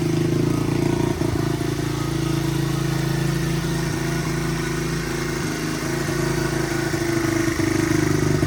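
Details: 1985 Honda XR100 after raising carb needle one notch to cure rich breakup at half throttle and above, 38 pilot jet fitted: firm steady beat held at raised revs, no stumbling or popping; running cleanly.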